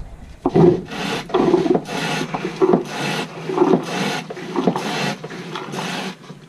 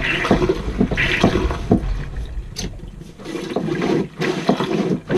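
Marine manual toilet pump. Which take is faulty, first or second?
first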